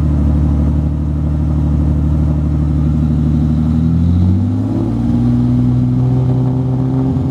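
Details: BMW E30 M20, right-hand drive, individual throttle bodies synced with a carb sync: engine hums unevenly and hesitates through throttle changes. Still running poorly at part throttle and transitions.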